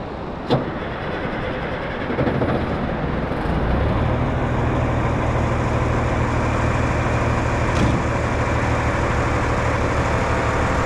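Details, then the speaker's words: 1973 M35A2 off-road wrecker with LDT-465 turbo diesel: cranks and catches after about three seconds, then settles into an even, steady diesel idle with a faint but noticeable turbo whistle; healthy start. "you can hear the turbo's pretty loud back here you can hear pretty good over here nice so that's uh kind of what she sounds like"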